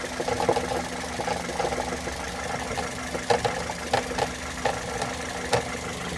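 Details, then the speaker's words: Car engine cover broken at its base and loose, missing its screw: light irregular rattling bursts over the idling engine, also heard inside the car when driving; planned fix is a new cover screw. "eu tava com barulho muito grande aqui dentro do Povo dentro do carro que vinha do motor eu fui agora bisbilhotar me encontrei isso aqui ó ó eu acho que vai dar para fazer ouvir a tampa ela tá quebrada aqui na base ela faz esse barulho"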